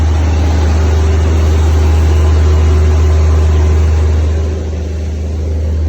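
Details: Natural-gas engine back running after a crank-no-start caused by someone shutting off the gas line: steady, even low drone with a smooth regular beat, no misses or knocks; running normally again.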